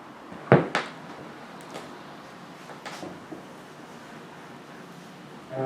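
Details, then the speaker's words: Surface noise of a classical LP (Beethoven cello sonatas, Fournier DG set) after cleaning treatment; it was noisy on the lead-in before, possibly static. Low, even hiss with two early clicks before the music, significantly quieter than before. "okay well in my opinion it's significantly quieter"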